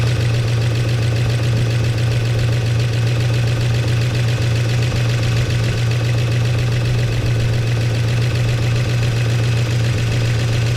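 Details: 1969 Chevy C10 engine idling after timing adjustment, oil pressure restored to 50 psi on an added gauge. Deep, even idle, smooth steady beat, no knocking or ticking; running healthy, flush and oil change still planned.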